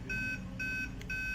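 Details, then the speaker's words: Aquaguard water purifier, red lights stuck: three even high beeps, each about a quarter second, half a second apart; error from a faulty purity sensor (light-dependent resistor), fixed by replacing it. "so as you can see the red lights are stuck there and after some seconds it will start beeping so if this is the same problem were facing so follow my guide"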